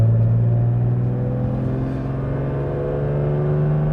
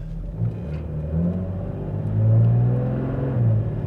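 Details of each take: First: 1995 Mercedes E320 W124 wagon automatic after tightening the accelerator Bowden cable: engine pulls through a long rising run with the 2-3 upshift coming late; owner plans to back off the modulator valve and cable slightly. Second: 1995 Mercedes E320 W124 wagon automatic on level ground, after tightening the accelerator Bowden cable: engine drone climbs then drops cleanly into the next gear without flare or thump, a good normal upshift.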